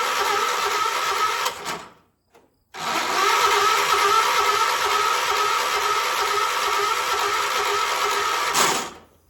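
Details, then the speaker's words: 1976 John Deere 300 tractor: starter whirs in two long, weak, labored bursts and the engine never catches. Owner first thought the starter had locked up; the cause is a dead battery. "Dead battery. Great. That's all it is. My battery's dead."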